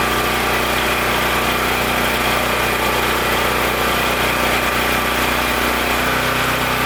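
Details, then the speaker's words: Powerstroke 6000 W portable generator, believed 14 hp Honda-clone engine, after rotor repair and governor tab adjustment: steady, even drone at constant speed under load, no hunting, surging or knocks; normal running. "so good i'm just gonna do the rest off camera here i just need to assemble a few things here and there but this generator is good to go"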